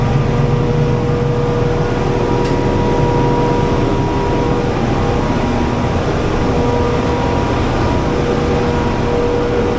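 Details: Diesel generator at a Manhattan utility area, running after oil level checked full, before minor service: steady deep drone with constant whine on top, no misses, knocks or belt squeal; running smoothly.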